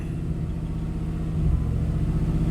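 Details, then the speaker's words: Classic Chevy 5.7L with ASDU PROM chip, in closed loop with aftermarket manifolds: deep idle swelling and sagging about every second as mixture oscillates; owner suspects oxygen sensor placement misreading mixture, unconfirmed. "You can even feel every time the mixture oscillates, it goes ba-boom, ba-boom, ba-boom."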